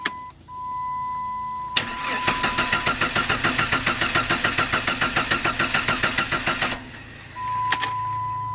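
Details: 1997 Jeep Grand Cherokee ZJ: starter cranks evenly, about six compression pulses a second for four seconds, chime beeps, engine never fires; crank no-start, first suspected crankshaft sensor, traced to failed camshaft position (distributor Hall-effect) sensor.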